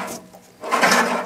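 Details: 1969 VW Beetle air-cooled engine turned over by hand after a high whine buzz while running: a dry scraping rub as the squirrel cage cooling fan behind the generator catches the back of its shroud; likely fix is loosening and repositioning the generator.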